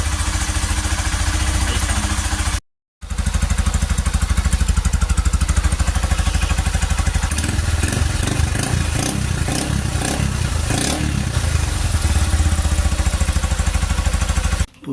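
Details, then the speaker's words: Honda Cargo CG150, rebuilt a month earlier (cylinder, piston, camshaft, valves, timing chain), after the loose timing-disc screw was fixed and the chain, sensor and rocker arms were adjusted; guides not replaced. Steady, even single-cylinder idle with no tapping; the earlier noise is gone. "Se le quitó el tornillo, ya no hace el ruido que hacía."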